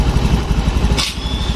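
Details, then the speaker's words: Motorcycle idling, engine not yet very hot: quick, light ticking over the low thump, because valve clearance has grown too loose with use and needs adjustment. "Biasanya kalau lama-kelamaan dipakai celah klep itu akan menjadi lebih renggang ini suaranya klep terlalu renggang"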